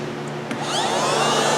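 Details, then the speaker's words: 2007 Mazda RX8 with codes P0411 and P2259 whose air pump had been replaced four times: a steady electric whir like a vacuum cleaner builds up as the secondary air pump is switched on and runs. "what it take to turn this pump on see if we hear a whistle"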